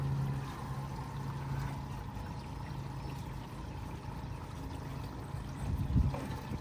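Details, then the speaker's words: Thor Palazzo RV gray tank (shower and sink water) pulled after the first tank is fully dumped, draining to the campsite sewer: steady low rushing and gurgling through the drain line, no gulping or stalls; emptying normally. "Now that that's fully dumped, what we're gonna do is we're gonna pull the gray water. Now that's the water from the showers and the sinks, soapy water."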